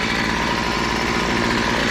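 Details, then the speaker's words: Weed eater model BC 2500 LE after a loose head that had lost compression was fixed and a kinked primer line cleared, holding a smooth, even two-stroke buzz without surging or dying. Normal idle. "That doesn't happen very often. Okay, yeah, looks like that's all that was wrong with it. That head came loose, they lost compression and didn't want to start."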